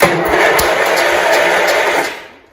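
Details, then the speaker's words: 1971 John Deere 140 H1 tractor, long parked, first crank with plug out: quick even cranking about two seconds then stops; starter spins engine freely, not seized. "You know, I never even checked to see if the engine spun either. But there we go, it spun."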